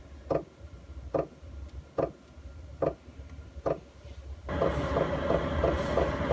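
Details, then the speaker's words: Chinese all-in-one diesel heater in a van, cabin about 12 °C, target 16 °C, starting up: steady fuel pump ticks about every 0.8 seconds, then the fan whooshes in and builds; heating up normally. "so yeah you can hear the clicking noise there and that means that I'm gonna start getting some warm air out of here soon"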